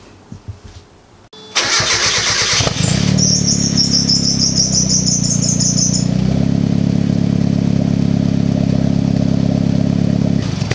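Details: Turbo ITB Miata after turbo install, start-up while bleeding the coolant: starter whirs, engine fires and settles into a steady, even idle with no knocks or odd noises; healthy start.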